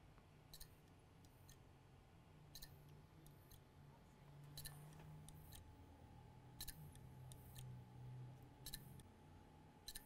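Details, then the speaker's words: External Toshiba hard drive not detected, after moving firmware chips onto a donor PCB: beeping stopped, quiet hum with sharp clicks in pairs about every two seconds; read head fault, drive must be opened. "right now we do have that clicking sound and no more beeping. So right now we're not getting any more beeping sound, but we do have a clicking sound. And that means we have to open up the hard drive."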